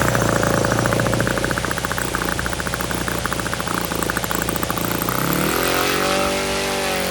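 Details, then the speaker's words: OS FS-91 Surpass four-stroke nitro RC airplane engine, somewhat corroded, after warm-up at full throttle: a fast steady buzz, very rich. Turning the needle in makes the rpm climb, then sag, so it goes back to a safe rich setting. "once i get tuning on this this happens really fast so i'm ripping up here and you can see it's very rich"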